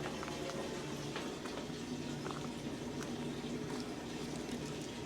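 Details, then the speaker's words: Sewer drain with a worsening clog after drain cleaner; after lots of water was poured in, steady bubbling and gurgling deep in the drain but no water reaching the outside pipe, which later backed up through the sink; possible partial blockage. "yeah I hear bubbling but it's not coming out"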